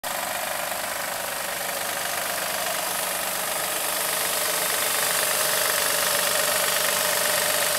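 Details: 2007 Acura MDX at idle: a steady light knock, about three a second, from the power steering belt tensioner; replacing the tensioner stopped the knock.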